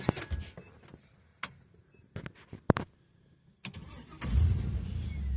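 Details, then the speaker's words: 1955 Cadillac with a swapped 6.0 LS V8, 4L60E transmission and PSI standalone harness. A few clicks and clunks, then it fires right up at once and settles into a steady, deep idle. It shows about 40 psi oil pressure and 198 on the temperature gauge. "Booyah! She fires right up. Pulling about 40 pound oil pressure. 198 on the temp."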